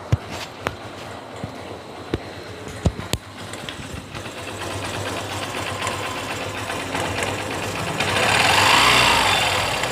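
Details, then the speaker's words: Honda Shine BS3 motorcycle with a recently replaced timing chain: light, quick metallic tang-tang ticking at slow idle, worse when the engine overheats; slack timing chain from a weak tensioner. "এই যে রেসটা যখন slow হচ্ছে, একটা ট্যাং ট্যাং ট্যাং ট্যাং হালকা হালকা আওয়াজ শুনতে পারলেন, যে একটা হালকা ট্যাং ট্যাং ট্যাং ট্যাং স্লো টিউনিংয়ে একটা আওয়াজ মারছে, এবং গাড়ি যখন ওভারহিট হয়ে যাচ্ছে এই আওয়াজটা আরও বেড়ে যাচ্ছে।"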